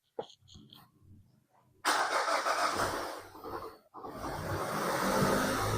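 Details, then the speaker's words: 2021 Mazda CX-5 2.5L, towed in cranking but not starting after a DIY spark plug and ignition coil replacement. With two swapped coil connectors (likely cylinders 3 and 4) corrected, it cranks quietly, catches at once and idles evenly; unsure that was the cause. "All right, I don't know if that was the actual issue, but the actual the car actually started this time."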